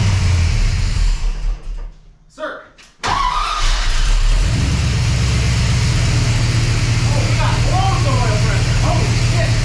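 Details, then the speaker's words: Rebuilt 400ci small-block Chevy V8 (new bearings and rings) in five-speed S10, first start after installation: cranks a couple of seconds, fires and settles into deep, steady idle with no knocks, ticks or weird noises; normal start and idle. "well that was a big success the 400 runs there's no weird noises"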